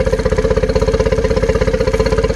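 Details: 2013 Yamaha 9.9 four-stroke outboard on garden-hose flush: even, steady putter at about twelve pulses a second, constant mid tone, no misses or knocks; clean idle measured at 800 rpm, matching 800 spec.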